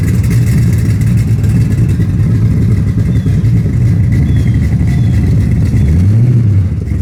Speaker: yeah I gotta fix that exhaust leak but I mean it's it's still loud but it's not crazy loud